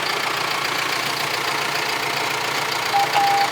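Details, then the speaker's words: John Deere 6115R tractor bought sight unseen at auction, 9,137 hours, first start with battery a little low and a warning light on: steady, even diesel idle with smooth hiss, no knocks, rattles or weird noises; normal healthy idle. "Sounds good though. What do you think, Tucker? There's no weird noises or anything. That's a good sign."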